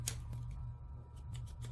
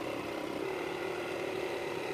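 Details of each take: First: Waterpik water flosser, past its 3-year warranty, after a salt solution was used in it: low steady motor hum with no pumping pulse, light handling clicks; owner believes the salt ruined the motor. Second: Waterpik water flosser pump running: steady, loud buzzing hum with even pulse and constant pitch; loud noise is normal; normal operation.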